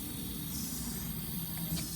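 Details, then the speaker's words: Crashed Jaguar F-Type, engine off, cooling system pressurised with a compressor during coolant refill: pressure drops with a steady, even hiss of escaping air from the main radiator core itself, not a pipe, so the radiator needs replacing. "As you can see, we are dropping, and you hear the leak. There's actually a leak, and it's in the worst place ever."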